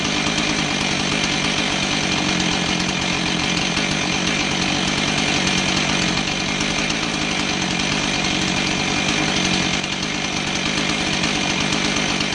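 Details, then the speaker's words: Husqvarna 445 chainsaw after cleaning its plugged low-speed carb circuit, likely old fuel, with carb cleaner, low-speed screw out 1¾ turns: high, clean buzz at full throttle without bogging, revving properly. "so it looks like our whole problem was that the low speed circuit was plugged up probably old fuel just starting to turn"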